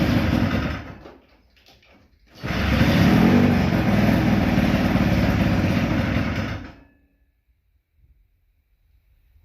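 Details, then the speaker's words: 1972 Ski-Doo Nordic two-stroke snowmobile, first run in 22 years, idle screw being adjusted: catches and runs rough and uneven for about four seconds then dies; unstable idle, owner unsure the fuel pump is working. "Alright, well, I'm getting the idle closer. I don't know if that fuel pump is working."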